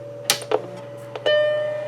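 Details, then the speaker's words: 1991 Macintosh Classic powered up after recapping the logic board to fix missing audio: click at power-on, then one clean startup chord fading evenly with no chimes of death; normal startup chime, happy Mac follows. "we have sound we have sound oh my god maybe at work in it I don't see it giving me the chimes of death or anything which is always a good sign"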